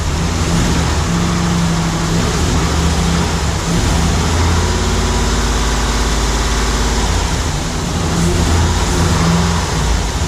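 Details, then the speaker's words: Steady loud, unevenly loping idle at first start of a new LS3 V8 in a 1955 Chevrolet Nomad; one or more cylinders not firing, owner suspects something not connected. "so it's actually running sounds like I got one of this someplace so what Maya find out which one is not hitting right now but it might just be something's not connected at HUD but good to go go"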